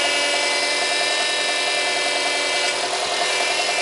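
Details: Subaru Impreza 1.5 at idle, steering wheel at full lock: a steady moaning squeal with abnormally heavy steering. Air was entering the power steering through a worn rubber ring on the return hose at the pump; replacing it fixed the noise.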